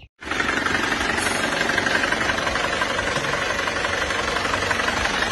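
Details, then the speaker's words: Diesel engine already rebuilt once but never healthy, as it first arrived: rough uneven idle with harsh knock about four times a second, heavy exhaust smoke and blow-by; scored cylinder liner found, second engine rebuild. "Ini suara mesinnya saat baru datang pertama kali di sini. Kita periksa dulu itu sudah emang terpantau ngobos ya. Asap distnya tebal dan suaranya agak"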